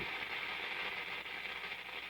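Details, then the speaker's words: Antique Philco 46-480 AM/FM/shortwave radio on the FM band with no antenna and no station nearby: steady hiss with no voice or music, just empty static; FM static with no station. "You can hear it trying. Just picking up noise."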